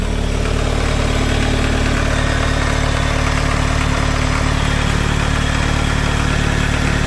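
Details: Toyota MR2 3S-GE at cold idle: a dull, even knock beating under the engine note that occurs only when cold; suspected piston slap, unconfirmed.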